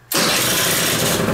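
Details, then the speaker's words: Kymco Vitality 50 2T scooter after adjusting the drive, whose centrifugal clutch springs were soft, engine still cold: catches first try and settles into a steady buzzing run; now holds revs against the brake. "za pierwszym strzałem uwaga hamulec silnik jeszcze jest zimny co prawda ale widzicie już są obroty przy starcie"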